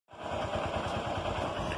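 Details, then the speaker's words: 2008 Honda Titan 150 motorcycle idling, clutch lever worked: loose rapid rattle over the low engine thump; clutch-area rattle, owner suspects a worn gearbox bearing inside the engine, a known weakness of this model. "você reduz você acelera recente a embreagem movimentando a manete dando aquela tremida então que acontece a galera isso é um rolamento dentro do motor rolamento que vai na caixa de marcha que já é genético dessa moto"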